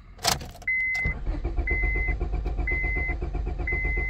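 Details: 2001 Honda Civic cranks but won't start, no green key light in the cluster: starter spins steadily while a chime repeats about once a second, never fires; immobilizer not recognizing the key, fixed by immobilizer programming.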